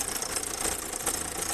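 Loud, rapid clattering knock over a running engine until it cuts off sharply; heavy internal knock, cause not pinned down. Cause suspected, not confirmed.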